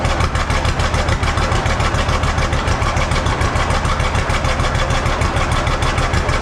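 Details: John Deere B two-cylinder tractor, in neutral with clutch out, first start after carburetor float check: slow, steady thump at about three and a half beats a second, even and unhurried; runs fine at idle.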